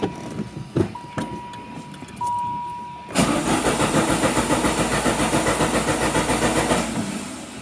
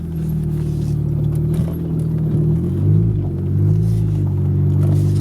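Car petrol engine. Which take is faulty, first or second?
first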